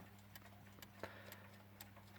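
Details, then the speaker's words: Metamec electric mantel clock after restoration and reassembly, plugged in and started: quiet, even ticking about twice a second over a faint mains hum. The clock is running normally. "click ah it's ticking it's chicken ticking i don't know if you can hear that through the microphone"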